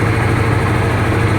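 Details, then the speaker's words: Honda Supra GTR 150, fuel-injected, nearly 2 years of use: a low, regular idle putter with a clean, unbroken beat and no rattles or tapping. The owner says it still sounds like new; healthy engine. "Tuh, apakah ada suara yang aneh-aneh teman-teman dengar? Kalau menurut saya ini suaranya masih kayak baru."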